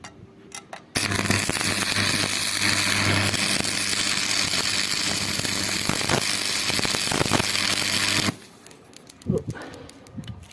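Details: TD-500 welding transformer after coil repair and core re-varnishing, fixing high no-load current, loud hum and heating, on the low-current range at 73.4 V secondary and about 22–24 A primary: clean arc strike, steady crackling hiss, even hum; working properly.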